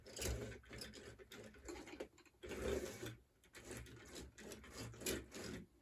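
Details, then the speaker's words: HO scale Chattanooga locomotive from a secondhand eBay lot, first power-up on track; uneven stop-start buzzing from a small motor that never settles into a steady run, straining and barely turning but seems to have some life left. "so I'll give that thing some power I heard a little something out of it absolutely seems like this thing's trying to"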